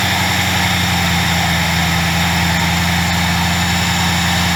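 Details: 2003 Mercury Marauder V8 idle after installing new ignition coils and siliconing the coil-well o-rings against oil seepage: deep, steady, even low drone with no misfire stumble or ticking; engine running smoothly.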